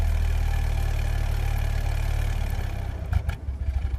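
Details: 2001 Ford Focus idling rough with an uneven, loping beat and irregular stumbles about three or four a second instead of a steady rhythm: misfire with rough idle.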